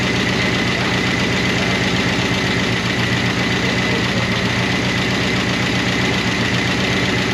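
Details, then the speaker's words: 1988 Chevrolet Monte Carlo SS, sitting since the 1990s: rough V8 idle with fast, light, slightly uneven ticking; noisy rocker arms/lifters in the top end that never fully quieted. "but those rocker arms never did get quiet. It's started to get quiet,"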